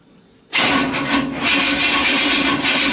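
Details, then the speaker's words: Nitrous small-block Chevy V8 on its first fire-up after a fast build, radiator not yet installed: the starter spins the engine hard and steadily but it never fires; crank, no start, with no spark. "so what we got going on is we tried to fire it up we're not gettin"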